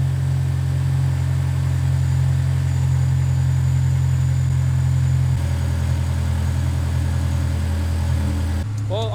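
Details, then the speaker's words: Honda S2000 after replacing worn timing chain tensioner and oil change (about 5,000 miles since last); steady even low idle hum with no ticking or rattle; chain noise gone, healthy idle. "that a success the noise is gone let me just rev it a little bit just to see if something comes up because you know it's idling right now it's not gonna make any noise really"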